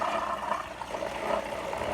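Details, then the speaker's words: Marineland Emperor 400 aquarium filter before the fix: a low whir with an uneven, gritty crackle, as if crumbling inside; the impeller is not pulling up enough water to turn the bio-wheels. "It's pretty loud. And it's not sucking up water like it should, so the bio filters can roll, right? Sound like it's crumbling in the inside,"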